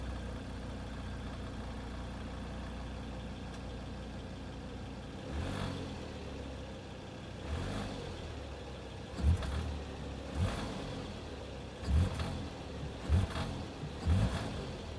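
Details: 2015 Volvo V60 T5 AWD petrol engine: a low, steady idle with short rattly bursts at start-up and on each light rev or slight acceleration.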